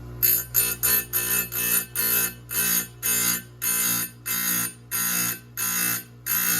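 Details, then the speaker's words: Sharpening a chainsaw chain on a grinder: quick repeated hissing touches, some bursts longer, fuller and slightly duller with more resistance, because the cutters on one side are longer and more metal is being removed there. "And you can hear when when I'm grinding on this side, you can hear how much more it's taking out."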